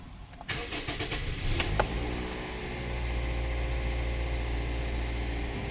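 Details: Toyota Vios Gen2 1NZ with an idle problem (won't hold idle, hesitates), started after a memory reset by switching off and on again. Short crank, clean catch, then a steady even idle with no stumble or hunting.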